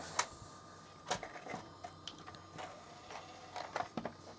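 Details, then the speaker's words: Original Xbox DVD drive reassembled with top cover on, disc inserted: faint irregular ticks and clicks repeat about every second as it keeps trying to read; the lens won't lock focus on any disc, then it gives up. "yeah I can definely hear it trying to read but I don't think this is going to work uh it's not happy I think it's given up"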